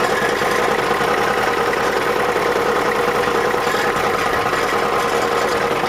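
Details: 1987 Ford F250 7.3 diesel: gritty grind and uneven knock worst at idle, gone by 1500 rpm; also clunks while cranking; flexplate and converter bolts tight, starter fine, no shavings; cause unknown.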